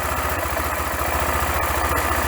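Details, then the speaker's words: Bike named Gina, a newly acquired machine planned for modification: even, quick low thumping at about eight pulses a second with no misses or rattles. Owner says the engine runs perfectly with no faults; normal idle. "आप देख और सुन सकते हैं कि इंजन एकदम सही चल रहा है, और पूरी मशीन में कोई खराबी नहीं है, जैसा कि जर्मन में कहते हैं।"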